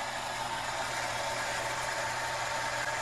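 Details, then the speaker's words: Shallow-well pump in Florida, unused for a year and run on solar power, repressurizing the tank after the spigot is closed: a smooth, steady low hum with flowing-water hiss, no rattles or surging. Full pressure returns to the tank; the system performs properly. "turn off the water [Applause] [Applause] full pressure back into the tank all right well the system is performing properly and i think it's set for the season"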